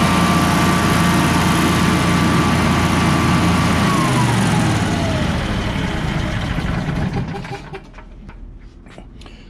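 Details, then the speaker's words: Generac Guardian 16kW standby generator, refurbished after its battery exploded, running on temporary gas hose in the shop; steady, even drone with constant low hum, no knocks or misses: normal running. "we'll deal with him later but at least it runs so here here's what it sounds like normally"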